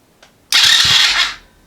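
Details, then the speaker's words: Chinese ATV after wiring in the starter solenoid, start button and kill switch: a sharp click, then under a second of fast whirring as the engine spins over; starter cranks normally. "We're going to We're going to hit the start switch here and see if it turns over."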